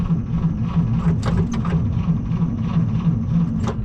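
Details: 1937 Chevy Master Deluxe coupe, unrun about a year and a half, battery unhooked: starter drags engine in slow uneven chugs, about three a second, never catching; battery too weak, needs charging.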